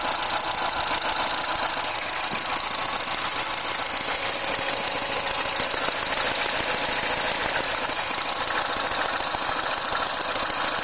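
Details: R56 Mini cold start after work: cold petrol engine idling with busy, tinny metallic rattle from a slack timing chain.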